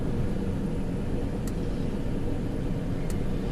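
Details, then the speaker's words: 2004 Chrysler Pacifica idling rough with an uneven low rumble from a persistent misfire. A bad coil isn't the problem; the owner blames a bad wire in the harness and plans to splice it. "yeah definitely still has the misfire chickens and line ain't going away from nothing"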